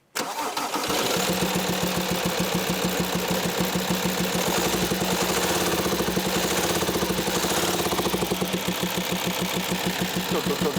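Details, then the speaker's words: VW Touareg 2.5 TDI inline-5 diesel starts and idles with distinct regular tapping/popping from top end: failed, worn camshaft and lifters. "so as you can tell although it's a diesel and they are usually quite noisy you can hear a very distinct tapping sound popping sound however you want to describe it"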